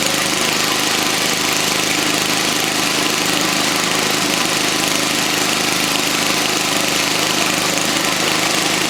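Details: 1979 Toro 524 snow thrower single-cylinder engine after repair and clearing twine left by mice: steady, even buzz at constant speed, no misses or surging. Normal engine running.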